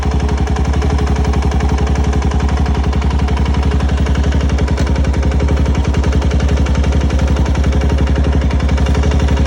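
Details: 2004 Suzuki LTZ400 single-cylinder ATV idling with a steady sharp knock on every firing pulse; cause unknown.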